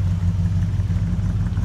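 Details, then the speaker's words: Plymouth Roadrunner V8 idling: a low, even burble with a steady beat and no knocks or misses. The owner says it is purring along, a healthy normal idle. "Wildcat, you bad girl, you. Purring along, sounding"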